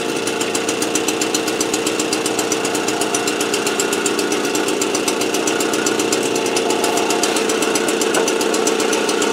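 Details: AV 89 two-stroke with an Ersal 70cc kit, after ignition repair and a correct-thickness head gasket, warming up before hot retorque of head and exhaust. Crisp, buzzy running at steady speed with an even beat and no misses; healthy.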